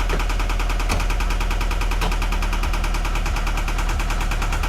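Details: 2013 Scion FR-S at idle, customer complaint: fast, sharp, loud, even ticking knock with a slight stumble; scan found misfire on cylinder 4, teardown planned, cause not yet pinned down.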